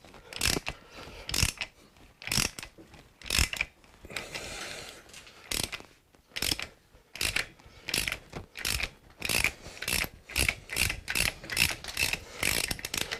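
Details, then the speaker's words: Suzuki GS1000 motorcycle parked 20 years, carburetors removed, crank rocked back and forth by hand: scraping, rasping grinding bursts about once a second; cause not yet clear. "work it back and forward a bit I can hear it it sounds terrible"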